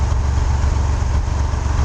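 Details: Geo Metro LSi automatic with new exhaust system, idling: steady low hum with even firing, no knocks, rattles or exhaust buzz; muffler vibrates but is fully isolated by correct grommets and three hangers; normal smooth idle.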